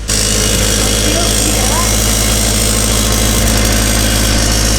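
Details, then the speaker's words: Turbo NB Miata with newly finished exhaust: loud, deep idle with a fast tinny rattle over the exhaust note. No exhaust leaks found; owner suspects something loose inside the resonator, not confirmed. "it's right there it's like something internal to this oh that's such a pain in the ass yeah no leaks anywhere though that's weird"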